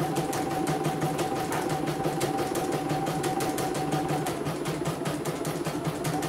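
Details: CNY embroidery machine (M21 label) sent in fully jammed with heavy rotation; final test after repair, cover closed: steady stitching clatter about three per second over constant motor tone, smooth, ready to ship.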